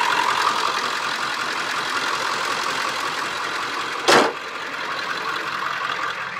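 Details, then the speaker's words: Car after a list of repairs, first drive done, idling before shutdown: steady, even idle with no knocks or misses, one brief bump near the end; sounds good, considered ready to go, normal idle. "so she sounds good she drives good I say she's pretty much ready to go"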